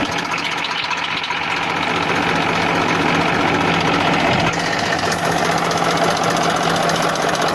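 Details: 1994 Massey Ferguson 1035 DI tractor diesel: steady, even hum at idle with a low regular beat and no sharp knocks or rattles; normal idle.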